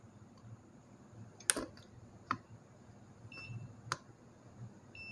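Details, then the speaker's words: O General DC inverter air conditioner PCB: meter in beep mode, probe clicks and short high continuity beeps at several points including a diode, revealing a short; short not locatable, so the microcontroller will be replaced from a donor board. "तो देखें यहाँ पे मुख्तलिफ़ जगहों पे ये आवाज़ कर रहा है।"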